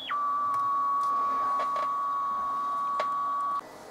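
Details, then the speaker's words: Vintage military-style transistor radio running off 6 volts, dead at switch-on, drawing 15 mA: clean, steady whistle around a thousand hertz for over three seconds; heterodyne whistle shows the local oscillator is working. "I can hum I don't mind doing that when it's running off 6 volts and put these fingers around the local oscillators working with horn whistles"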